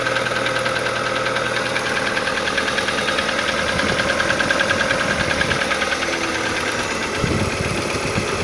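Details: Irregular knocking at roughly three per second over a steady idle from inside the engine of an Audi 80 B3 1.8; cause of the knock not yet found.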